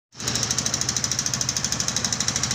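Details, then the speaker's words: TVS Radeon BS6 motorcycle engine at idle with a sharp metallic knock about ten times a second. The cylinder was partially seized and the piston scratched after an oil pump problem; the fix was replacing the oil pump and the cylinder assembly. Piston scuffing knock. "Guys, इस वीडियो में देखते हैं इंजन में क्या ऐसी आवाज़ आ रही है। TVS radian BS6 new model engine से आवाज़ आ रही है।"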